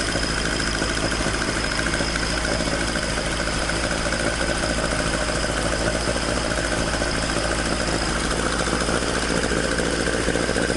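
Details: Toyota AE86 with 4A-G engine after exhaust leak repair, stock exhaust: a steady idle with a clean, even burble and no puffing or ticking at the pipes. Normal, sealed exhaust note.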